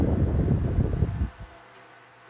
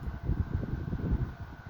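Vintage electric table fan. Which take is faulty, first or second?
second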